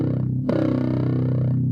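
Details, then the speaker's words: Yamaha bass plugged into an amp after a preamp swap, still with the same fault: plucked notes come out fuzzy and gritty with a harsh buzz, so the part replaced was not what's broken; the battery is being rechecked. "So that's not what's broken. Yeah. So we still have that same distorted sound."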